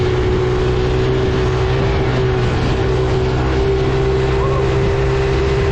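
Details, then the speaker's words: Coolster 110cc quad that sat two years, with residue found in the tank: the small engine holds a high racing drone that never drops to idle because the throttle stuck open. "the throttle um um stuck open on me so not good you can hear it there's some stuff going on in there"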